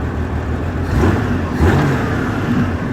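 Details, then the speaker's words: 1989 Honda Goldwing GL1500, 115 on the odometer, warm, after timing belts and carburetor cleaning: revs hang and climb slowly, then suddenly surge; hesitation on acceleration with rough idle and highway surging, cause unknown, owner unsure all cylinders fire. "It takes a while for it to get there, and then it'll take right off. Can't figure it out."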